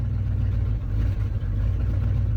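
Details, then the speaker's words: 1976 Ford F250, 390 FE V8, just started cold after sitting parked: deep, lumpy idle with occasional sags and dips; owner says it's running very lean, oil pressure slowly rising as it warms. "man she is lean lean lean but she's running"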